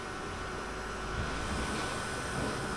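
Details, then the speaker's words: 12V low-pressure electric fuel pump (2-3.5 psi): soft, even, steady whirring hiss with no surges or rattles; pump working, no dripping; normal operation. "that little pump makes a nice gentle constant noise"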